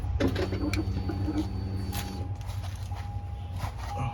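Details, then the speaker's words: 2004 Chevrolet Trailblazer 4.2L inline-6, key on after fuel filter replacement (old filter had been installed backwards), fuel pump relay reinstalled: faint steady hum about two seconds then stops; fuel pump priming normally, no leaks. "turn the key several times to Prime the system I don't see any leaks"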